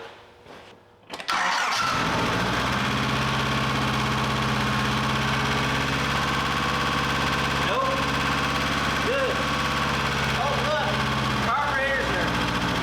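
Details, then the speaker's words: Datsun 520 revived after sitting, pouring fuel from carburetor, oil suspected from head gasket: engine catches and settles into steady run with light quick ticking clatter on top, attributed to valves out of adjustment with lots of play. "and that noise most likely is because the clattering noise I was hearing is because these are out of adjustment and they have a lot of play in them especially that one so they'll need to be be adjusted for sure"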